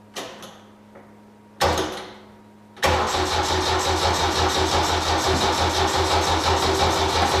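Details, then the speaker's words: 1972 Saab Sonett, cranking attempt with battery flat and fuel low (fuel pump audible): two short starter bursts, then sluggish even cranking about three turns a second that never fires; slow cranking from weak battery, needs charging. "for as you can hear the starter is [Music] clicking is I got no battery okay I'm sorry about that I need to put the battery on charge"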